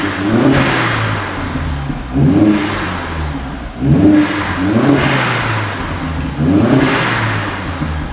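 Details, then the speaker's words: Vauxhall Astra H VXR, first start after fitting a new exhaust: crisp, even revs rising and falling every ~2 s, with a clean, moderate note and no rasp or rattle; sounds perfect. "sounds absolutely crisp that does do it that sounds absolutely perfect sounds nice right"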